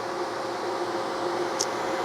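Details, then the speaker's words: 1973 TVR 2500M after new wiring harness install, engine off and dead cold: steady airy whoosh of electric radiator fans running, later traced to an installed coolant bypass switch; fans running on cold engine. "So my first aspect is to figure out why the fans are on when it's dead cold."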